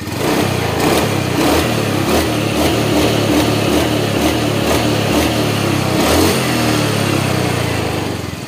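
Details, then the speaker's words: Honda Beat FI scooter after engine rebuild, previously rough from a worn left crankshaft bearing and a bore possibly overheated from a blocked vent: revs rise and fall cleanly with no growl or knock; fuel pump weak but responsive, and the CVT still needs parts. "Jadi nggak ngorok kayak kemarin ya, rok kayak gitu. Oke, halus suara mesinnya."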